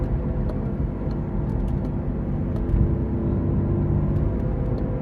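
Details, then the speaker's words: Toyota RAV4 at 45 mph turning left: steady low droning growl from rear, differential shot and noisy first; also needs left rear wheel bearing, initially misdiagnosed as right rear bearing. "Differential is shot. Right now I'm doing 45. I don't know if you can hear that. Okay, it looks like the differential's starting first with the noise."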